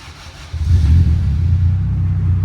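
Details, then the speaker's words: 2000 Acura Integra GSR with newly installed Spoon N1 exhaust, cold start: engine catches and settles into a deep, steady, even rumble, a little loud but quiet, no ticking; no exhaust leak heard, normal cold idle. "Thing's quiet. Thing's quiet. Nice. It's a little loud, but it's No, cold. that's quiet."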